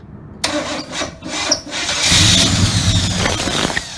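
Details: 1979 Malibu with a previously seized engine freed with lubricant, plugs refitted, fresh gas and a temporary battery: starter whirrs, then the engine catches and roars briefly with uneven firing; cranking with attempts to fire.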